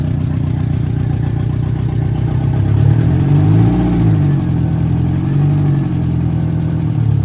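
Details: VW Mk2 Scirocco 16v with CIS injection, first run after 20 years, no exhaust fitted, dripping some fuel, battery light flickering; loud deep idle hunting up and down unevenly, cause unknown: rough idle.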